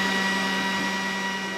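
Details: Stock exhaust fan on a Glowforge Basic laser engraver, recorded with a shotgun mic at startup and during a cut before the fan upgrade: loud, steady fan roar with a fixed whine, worse with build-up; loud exhaust fan noise.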